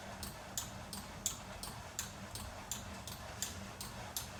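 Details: VersaClimber, second unit sent after the first squeaked loudly: sharp high squeak on every stroke, about eighty a minute, in a quiet room; moving parts squeak under load.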